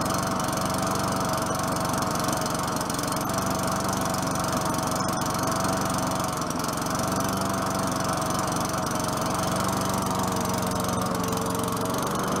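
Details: 4.5 HP Tecumseh Craftsman push mower after a new air filter, low on gas. Even, steady single-cylinder drone with a few light ticks of debris under the deck; sounds better now, normal running.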